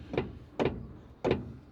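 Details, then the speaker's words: SU-100 WWII Soviet tank destroyer with almost no left steering; three heavy metallic clunks about half a second apart come from inside the steering drum as the clutch cone pushes back. "Yeah, it's in the drum itself. When it pushes back on this cone. Yep. It's that cone that's making that clunking sound."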